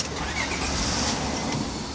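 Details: 1999 Honda Odyssey, crank no start traced to a bad spark plug and dead coil pack on cylinder five; after a new plug, short crank and the engine catches quickly, settling into an even run without misfire; normal start.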